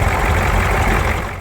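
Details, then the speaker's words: Ford 6.9/7.3 IDI diesel in freezing cold after running out of fuel: heavy idle clattering unevenly with a lumpy knock before fading out, while air is still bled at the Schrader valve until clean fuel comes. "Let it kind of pump up. I just keep on hitting that Schrader valve. Keep hitting this valve, getting that air out. Eventually it'll be fuel coming."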